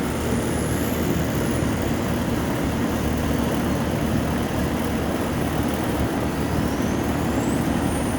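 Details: Home A/C condenser unit after a contactor relay replacement for a compressor that would not start: steady low hum with constant rushing air, no chatter, buzzing or stalling, the compressor running normally.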